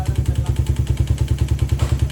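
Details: Motorcycle engine at about 110 (odo, as stated), never refreshed, idling with a heavy even low knock about eight times a second and clatter over the engine note; valve knock and piston slap, oil shows burnt lining.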